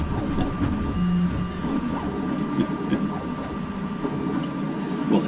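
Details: CEL Robox 3D printer after fixing a filament jam, printing: faint steady motor hum with thin tone and irregular soft stepper clicks, no grinding or skipping; printing normally.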